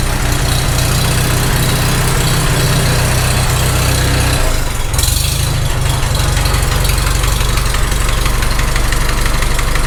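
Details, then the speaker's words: Farmall H tractor engine at idle after restart, with end play wedged by screwdriver: loose, uneven knock about four per second that comes and goes; cause unconfirmed, owner thinks it's on number 3. "I hear it. It's still there. That rocker is not closing up to the block at all."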